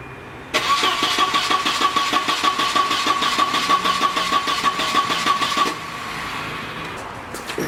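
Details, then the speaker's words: Volvo 940 turbo bought cheap, cranking with no start; steady starter cranking about three beats a second for five seconds, never firing; suspected not getting enough fuel, later traced to a failed inline fuel pump. "coming out of here no nothing it's not even sounding like it's spiking so it still might not be getting enough fuel"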